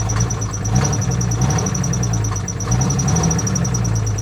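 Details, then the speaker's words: Salvage Jeep at auction idling unevenly with lumpy stumbling misfire and some unidentified knock-like noise, not rod knock, absent when revved; belt squeal noted with AC on. "She's definitely missing. She's misfiring badly."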